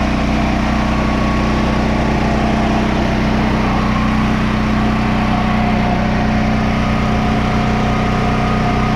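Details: Generator, previously surging, after carburetor refit: steady, even drone holding one speed with no hunting or surging; generator running properly.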